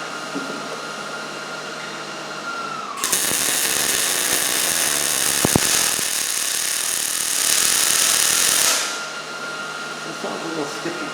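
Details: New Miller Millermatic 211 MIG welder with voltage raised to about 7.5 after a low-voltage skipping bead: about six seconds of steady, even frying crackle with no popping or stuttering; normal MIG weld at proper voltage.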